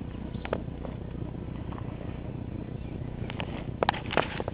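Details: 1954 Accelerator reel mower with a restored Briggs & Stratton model 6S, 1.6 hp, running with a non-original shroud, cut-off pull start and a homemade throttle valve. A soft, steady, even low putter with no knocks or misses: normal running.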